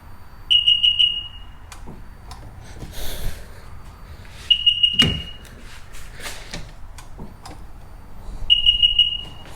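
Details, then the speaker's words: Sea-Doo Sportster/Speedster jet boat after fixing the key connector pins: clear high-pitched two-beep bursts about every four seconds, the normal ignition key beeps. "okay guys so now it sounds like it's supposed to get two key beeps"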